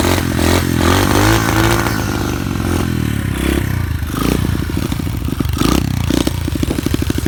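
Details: SSR 125 pit bike after two years of hard abuse, rewired, new shock, jetted for 9,000 ft altitude, starts first time: single cylinder picks up quickly and revs freely with crisp even pulses, no misfire or clatter; healthy.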